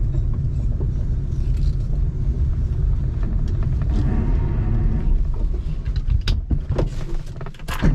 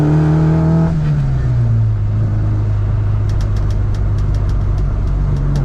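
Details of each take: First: Classic Mini John Cooper conversion with twin SU carbs on its first drive: a deep, steady rumble falters and breaks into scattered knocks as the engine cuts out; owner thinks fouled plugs. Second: Classic Mini John Cooper conversion with twin SU carburettors on first drive, idle slightly high, throttle cable sticking, plugs suspected fouled earlier: revs cleanly, then drops to a smooth, even cruise note with no misfire or stumble; running well.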